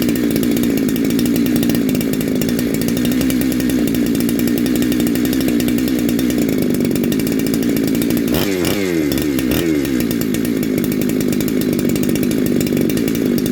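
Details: Neo-tec NH872 chainsaw (372XP clone), big bore kit, first start, warming up on a 31° day: crisp steady high-rev buzz with one brief dip and recovery, no rattle or bogging, a bit noisy; normal running.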